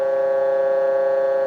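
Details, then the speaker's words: Military RT-834 HF radio (GRC-106A), receiving a 1 kHz test tone: steady hollow buzzy tone around 550 Hz instead, clearly off frequency, speech would be garbled; RX/TX frequency fault, cause not yet found. "And you hear that sound? Okay, that's not a 1 kHz tone. Turn that back down again. That's definitely not 1 kHz."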